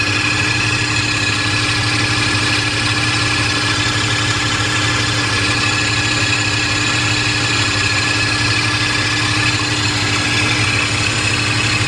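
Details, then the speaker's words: Mercedes SL600 (R129) with repaired throttle bodies and Egas, tested on an S600 at cold start: a steady idle with a droning hum and a faint high whir. This is the secondary air pump running normally, and the noise goes away once warm. "I'm pretty happy with that, because sometimes there is that's my air pump. Don't mind that noise, it'll go away."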